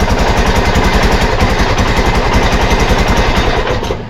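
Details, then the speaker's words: Arctic Cat Prowler 500 single-cylinder after carb and fuel repair and a new battery: steady, even idle with a loud, regular thumping exhaust beat from a loose, leaking exhaust; cooling fans kick on. "idle's good uh I do hear the fans kicking on"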